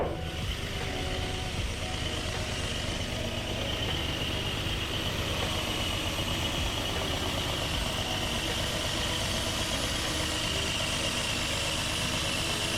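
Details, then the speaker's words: 1981 Datsun 280ZX after new fuel injectors and service, previously losing power and idling rough: steady, even idle with smooth low hum and no misses or stumbles; engine idles cleanly. "okay guys wow the car feels almost brand new like there seems to be no issue at all running or idling anymore like it's almost like it's a whole new car"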